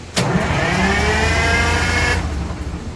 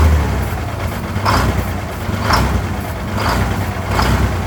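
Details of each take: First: 1970 GMC Astro with Detroit Diesel 6-71 two-stroke, running after 25 years off the road; fires immediately, revs up smoothly, then runs steady and strong with no knocks or misses; normal start and run. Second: 1970 GMC Astro, Detroit Diesel 6-71 two-stroke, after 25 years off the road: deep idle with rhythmic swell about once a second, rpm hunting instead of holding; surging idle, cause not confirmed.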